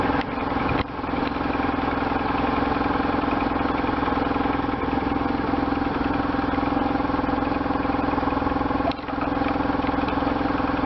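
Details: Restored 1998 BMW R1100RT boxer twin, first run after restoration, throttle bodies not yet tuned: steady, even idle with a regular low thrum and no knocks or misfires.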